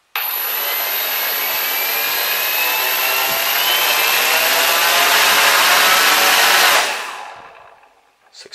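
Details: Cheerson CX-20 quadcopter after swapping the faulty ESC board that left one motor beeping and not powering up: all four motors spin up together with an even propeller whir and steady high tone, then wind down.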